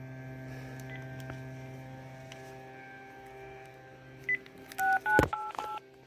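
A few short, clean two-pitch touch-tone beeps in quick bursts over quiet room hum; normal keypad dialing.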